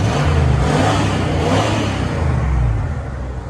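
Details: 1996 Ford V8 truck with 300,000 miles, after plugging a connector back in: it revs up and settles down with an even exhaust beat and no obvious miss. This is normal running, smoother and seeming to have picked up a cylinder or two.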